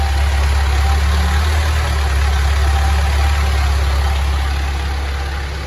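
Diesel settles into a steady, even low thrum at idle with no surging or hunting; running smoothly.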